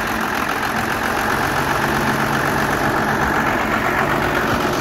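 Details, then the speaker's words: Truck with a 12-valve diesel swap and P7100 pump repaired for a stuck rack, first start, no coolant and no fuel plate fitted, ignition key not working: even idle with steady injector clatter, no stumbling or misfire. Normal idle. "we have a running twelve vowel listen to that now we don't have any coolant in it just basically wanted to hear it start"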